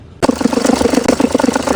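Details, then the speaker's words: Passat 1.6 diesel idling: rapid uneven rattle and knock from the belt drive, from a failed alternator pulley and belt tensioner with a wobbling belt. The customer mistook the noise for the gearbox while driving. "Bug müşterimiz bize şanzıman ses yapıyor diye geldi. Yolda gerçekten şanzıman ses yapıyor gibi geldi."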